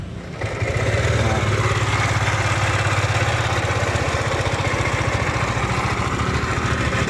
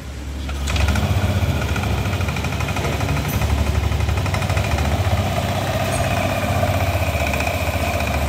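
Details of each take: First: Lexi scooter engine starting and idling with a harsh, rattly, frightening mechanical roughness that could seem to come from the CVT or piston; cause found to be a worn camshaft bearing. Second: Yamaha Lexi scooter after bearing replacement, with oil circulation checked: idles steadily and smoothly, the harsh, frightening grinding sound it arrived with now gone; only the rotating bearing was replaced.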